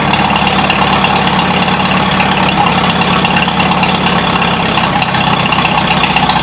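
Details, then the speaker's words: 1953 Farmall Super H tractor, throttle at third to fourth notch: steady, even chug at raised speed with no misses, knocks or stumbles; engine running cleanly. "third Notch it was ran there a lot fourth Notch sounds damn good I can see it pulling the air in there with the smoke"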